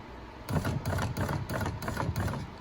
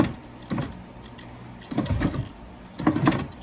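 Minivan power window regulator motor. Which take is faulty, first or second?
first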